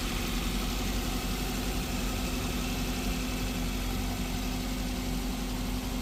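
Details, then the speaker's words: 2021 Maruti Brezza petrol, 50,000 km, first start after engine overhaul for suspected bent connecting rod, coolant refilled, not revved: quiet, smooth idle with a steady low hum and no knocking or tapping; healthy engine. "बहुत ही प्यारा sound आया यार गजब का sound आया यार क्या बात है ऐसा तो आईडिया नहीं था इतना प्यारा साउंड आ जाएगा यार"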